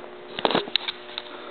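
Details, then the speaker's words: GE 400 W high-pressure sodium parking lot/street light just plugged in: a few sharp igniter ticks and crackles within half a second as the lamp strikes, then quiet hum; normal igniter clicking at start. "You can hear that the igniter makes a clicking noise when it ignites there."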